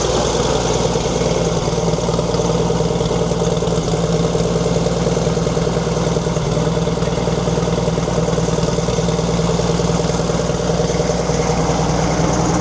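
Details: 1942 Chevrolet Blitz CMP 4WD truck, 216 petrol straight-six: steady idle with constant whirring drone on top; owner points out water pump noise, engine later boils, pump seemingly not pumping.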